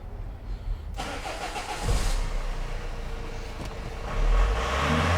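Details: 2002 Renault Master 2.2 dCi with no power, no codes and heavy black smoke, after a connector was plugged back in. It catches within a second, idles evenly and revs cleanly with only a little black smoke. The EGR valve is suspected still clogged.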